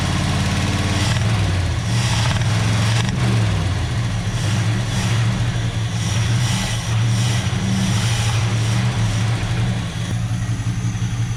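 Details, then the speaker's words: 1976 Chevrolet Scottsdale K20 3/4-ton 4x4, abandoned 20 years, oil pressure about 15: deep V8 rumble rising with throttle and a dull knock under revs; cause not pinned down. "i don't know did you hear that knock when i rev it up"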